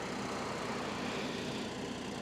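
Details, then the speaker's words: Military surplus MEP-802A 5 kW diesel generator on its monthly test run, heard from the end of the driveway and across the street: a soft, even hum with no knocks or surging; it runs smoothly and quietly, unlike a gas generator. "It's not loud at all. Then if I go across the street, okay, there's my microphone right there. It's not loud at all."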